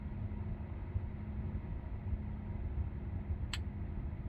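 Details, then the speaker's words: 2021 Tesla Model 3, parked cabin: a single sharp tick every few seconds over a low hum, seemingly from the speaker or tweeter. It happens for a couple of minutes after each startup and then stops; an intermittent electrical tick of unknown cause. "Seems to be every few seconds. It does sound like it's coming from that speaker right there."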